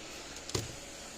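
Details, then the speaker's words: Patriot Solar Guard SG155 12 V solar fence charger, powered from a 12.9 V bench supply during test and repair; quiet hum with one soft, sharp click as it fires its pulse normally, then good voltage measured at the output. "coming on you can hear it clicking at least i can not a very loud units pretty soft click"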